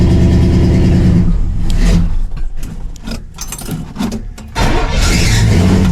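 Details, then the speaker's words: 1968 Pontiac LeMans cold start after sitting most of the winter, not yet warmed up: runs under throttle, then sags and nearly dies when the pedal lifts before catching again. Won't hold idle when cold. "It still hasn't warmed up yet. If I don't keep if I don't keep my foot on the pedal, it dies out."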